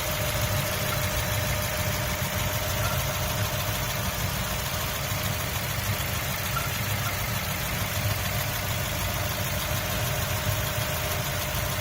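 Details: 2003 Mazda Miata MX-5 at steady idle: a thin, high chirp repeats over the engine note; the cause of the chirping is not identified.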